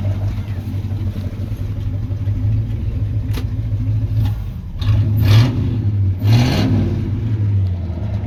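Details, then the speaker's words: 1978 Chevrolet C10 305 V8 with muffler removed, run after first oil change in 10 years plus new plugs and wires: deep, loud unmuffled rumble at idle, then two sharp barking throttle blips; open exhaust. Only light smoke now. "And then revved it to the moon and back, because you know, 305 with no exhaust sounds amazing."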